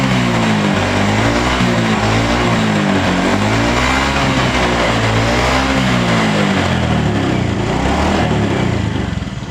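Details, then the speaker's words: Honda Beat FI scooter with sudden-stalling problem, after new spark plug and replacing the dropped, no-longer-charging battery: single cylinder fires up and revs cleanly and evenly with no misfire or stumble; normal revving, fixed. "Oke untuk permasalahannya atau kendalanya sudah bisa di atas ya ini sudah Mantap sudah jadi"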